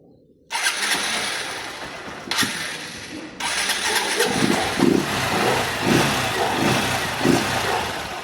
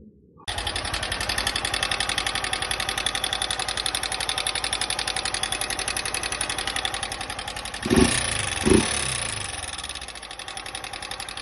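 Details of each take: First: 160cc single-cylinder motorcycle previously with engine noise, after fix: starter whirs, engine catches and settles into even idle with no knock or rattle; normal idle. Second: 160 single-cylinder motorcycle, 63,000 km, at idle: sharp fast metallic ticking on each firing beat; sudden loud valve tappet noise, fixed in half an hour without opening the engine.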